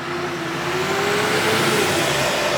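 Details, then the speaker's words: GM L5P Duramax diesel truck with a known Allison 10-speed valve body fault; software update didn't help and the part is backordered. Engine revved hard for over two seconds in reverse but barely moves: transmission slipping in reverse. "You hear how much I have to rev that sucker and it barely even goes. It does not like reverse one single bit."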